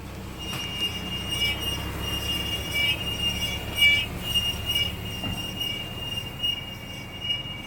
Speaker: What is that noise?